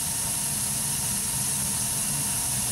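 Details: Burnham ES2 gas boiler running, flame sensor current 13–16 µA: steady, even rushing hiss of the burner with a low rumble underneath, no popping or surging; burner healthy.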